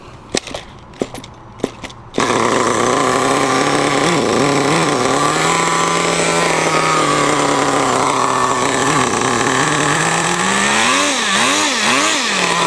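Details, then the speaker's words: Cold RedCat Tornado S30 RC small engine, not run for a couple of hours, started unprimed; screaming pitch wavers unevenly as throttle is blipped while it warms up; cold engine running rich. "ah she's cold we'll let her warm up it's not too hot out either so hmmm let's give it some gas"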